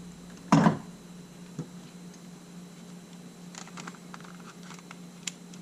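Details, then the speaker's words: Sony A7 after mode-wheel sand cleaning and shutter motor refurbishment: one crisp shutter snap with no gritty drag, versus a grinding, nasty shutter before the repair. Shutter now clean. "boy that sounds clean that is clean clean yeah that is super clean"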